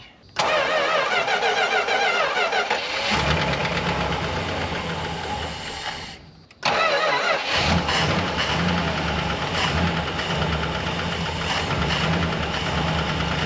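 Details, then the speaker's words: 1964 Chrysler Newport V8, off the road since 2004, about 104,330 miles, after welding the belt bracket: quick starter catches, then a steady even idle with no belt squeal; a lifter tick is noticed afterwards. "No slippy belt. So much better. Sounds so good."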